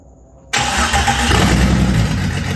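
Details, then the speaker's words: Jeep Cherokee XJ stroker, newly rebuilt engine, actual first start after fixing the oiling issue and correctly positioning the crank sensor, fuel pump primed, exhaust dumping after the header: quick crank, catches first try, strong even rumble with no knocks; normal start. "i am beat that took clock out of me but it runs and it started first try i'm super impressed with that"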